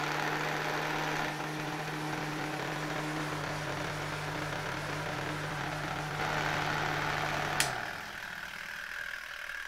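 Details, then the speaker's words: 1972 Zelmer SC hand dryer, SILMA SAZ-2 fan motor on mains: steady even low hum with smooth fan whoosh, no rubbing or rattle, then winding down as the timer switch cuts power. Healthy motor. "I poczekajmy, niech on sobie pochodzi, aż ten włącznik go rozłączy. No, za chwilkę powinien rozłączyć."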